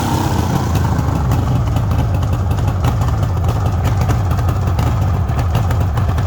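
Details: 1974 Suzuki GT750 two-stroke triple, renovated about five years ago and little used, started absolutely cold on choke: steady, even idle with a light crackle, all cylinders firing smoothly; normal cold idle.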